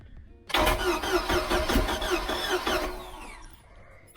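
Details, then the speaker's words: Boat engine cranks but won't start after the outdrive was installed (it started fine before); starter turns over with even pulses for about 2.5 seconds, never fires; crank no-start. "our boat will not start it'll crank it'll crank all day long but it won't start which is so weird"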